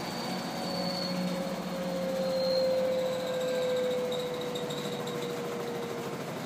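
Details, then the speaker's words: LG washing machine, tub spinning: steady rumbling roar with a faint drifting hum; rough spin rumble suspected to be bearing failure, not confirmed. "Okay, this is the tub spinning, and the question is that a bearing line? It sure sounds like it."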